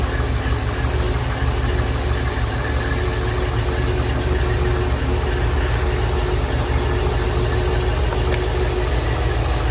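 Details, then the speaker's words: Silverton 34C boat's GM marine engine idling while warming up, after a new reverse-rotation HEI distributor was installed and before the EST timing is set: steady, even low rumble with no misses or knocks; normal idle. "all right while I'm letting the engine warm up um you know I'm not I haven't done anything with the timing yet"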